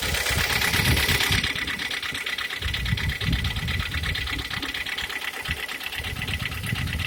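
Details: G4KD petrol engine, 102,000 km, at idle: rough, uneven knocking tick about three a second under the idle; cause not pinned down.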